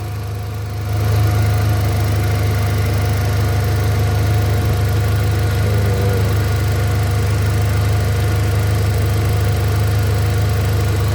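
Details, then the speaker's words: 2018 Hyundai Accent gasoline engine after a cranking no-start was fixed by swapping parts, ignition coil bolt not yet refitted: smooth, steady low idle hum with the radiator fan whirring alongside, no shake or knock; engine runs fine. "Walang kalya. Ayan oh. Wala namang panginginig. Okay naman ang kwan niya oh."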